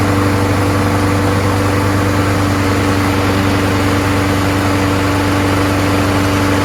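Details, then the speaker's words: Craftsman 21in push mower, Briggs & Stratton Quantum 6.5HP primer-bulb engine after swapping in another carburetor with original gasket: steady even note at constant speed, no surging or misses; healthy, problem was just the carburetor. "sounds great it was just a carburetor swapped it with another one works great"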